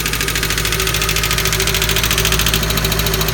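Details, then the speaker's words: 1988 Subaru GL dual-range with the EA82 engine at idle: a sharp, light ticking at three to four per second, sometimes quite loud. Owner unsure whether it is lifter tick; cause unconfirmed. "I'm not sure if it's lifter tick or not but I figured y'all could maybe help me out it's coming from right around this area"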